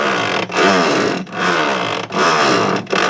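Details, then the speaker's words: Electrolux washing machine agitating during wash: whirring strokes reversing about every 0.8 s with brief dips; normal wash agitation. "é o que a máquina faz quando tá lavando"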